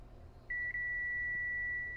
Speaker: You can hear my multimeter beeping. So that is how a good uh coil should be behaving.